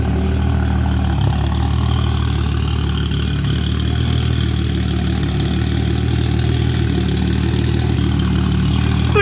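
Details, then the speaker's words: Subaru with HKS cams, just got running and pulled out of the garage; deep steady idle with a slightly loping beat, no knocking or rattling: normal lumpy cam idle. "all right you hear that hks cams"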